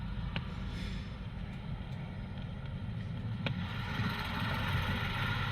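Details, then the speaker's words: Porsche 986 Boxster flat-six, recorded before engine removal for IMS bearing replacement: uneven idle with an irregular low-pitched stumble in the exhaust beat; misfire, owner suggests fuel starvation or excess fuel, cause unconfirmed. "I'm gonna play the video of the engine car running with the engine misfiring before we took the engine out so I can show you the difference"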